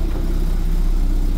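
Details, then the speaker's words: Car on unlock (immobilizer-delete) ECU after adjustment, A/C on: low even hum at one steady speed, no hunting or stumbling, idle slightly fast; AFR correct though software not fully right; normal idle. "Şu an fıstık gibi çalışıyor. Tamam, biraz devir yukarıda ama hadi klimayı açalım, stop edecek mi? Etmedi de namussuz."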